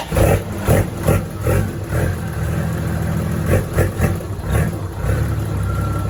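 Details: Diesel TF08 with HO7D engine, turbo, freshly rebuilt with newly built injection pump, revved after bleeding the fuel system: deep blips rise and fall cleanly with throttle, about two a second, music underneath; engine pulls evenly, healthy.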